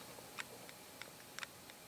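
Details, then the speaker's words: iPod 4th generation (monochrome) original hard drive: sharp uneven clicks about two per second from otherwise quiet drive; suspected failing hard disk, to be replaced with the drive from another same-generation iPod. "a lot of problems so it sounds like a bad hard dis and since it's the same generation it shouldn't have any problems with me just installing this in there and then just getting it working again"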